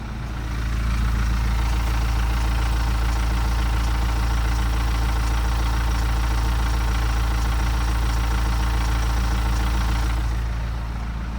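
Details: BMW 118d with N47 diesel at idle, before timing chain replacement: a steady light ticking, about four a second, from a worn, slack timing chain.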